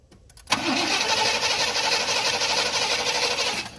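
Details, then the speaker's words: A 1988 Chevy Caprice LS Brougham, sitting about 10–11 years and not yet fueled, cranks at an even three beats a second for about three seconds without firing. The engine turns freely and is not seized. "So we know it's not locked up. Good deal. We in business."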